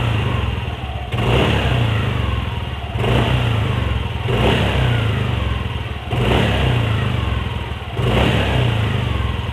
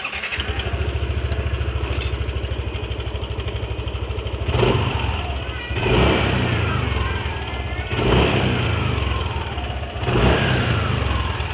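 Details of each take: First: Yamaha NMAX with CVT cover refitted: repeated throttle blips about every two seconds rise and fall cleanly with no rattle or hiss on the revs; sound found cured after checking, cause turned out trivial. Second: Yamaha NMAX: steady idle broken by throttle blips every couple of seconds, light metallic rattle (kletek) as revs fall on throttle release; loose CVT slider also found, but rattle vanished when the cam chain tensioner was pushed in further, showing a faulty tensioner.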